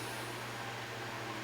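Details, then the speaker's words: 1960s GE 12-inch fan with small motor: smooth startup and quiet, even motor hum with soft air rush, no ticking or old-style GE hum; normal fan running. "I mean, considering the size of the motor, it's a very quiet fan. And it doesn't have that usual hum that GEs typically had in the old days. It runs fairly smooth."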